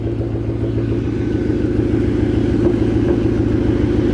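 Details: Supercharged 2013 Ford Mustang GT V8 with a rough idle misfire: a lumpy, uneven exhaust pulse that stumbles off the beat. The owner suspects a failed coil on one cylinder.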